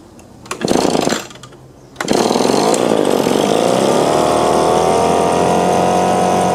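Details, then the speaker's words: Echo PB-2520 two-stroke blower with customer-misadjusted carburetor, started on choke: catches after a couple of pulls then climbs unevenly to a strained high buzz, labors at full throttle and won't idle; suspected clogged carburetor screen. "I think I just need to clean out the carburetor, see how it would rev up and it'd reach a baseline, it seemed like, and when it would, sometimes it'd go up, sometimes not."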